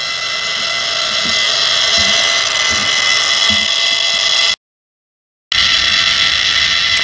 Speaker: so now that we've set the maximum travel for the servos we're just going to get rid of the buzz around the center using the new subtrim feature on the im2